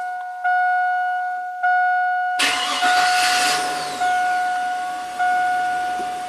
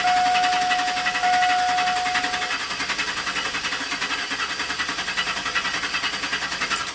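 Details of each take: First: Known-good 1999 Chevrolet Silverado 4.8 V8, scope connected to crank and cam sensors, number 3 coil and injector: after steady beeps it cranks briefly, catches at once and settles into an even idle with no misses; normal crank and start. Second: 2000 GMC Sierra V8 intermittent crank no-start: even starter cranking slowly dragging down without catching while the computer fires on the programmed cam phase; flipped 180° out of sync it starts and runs, so the cam sensor signal is suspect.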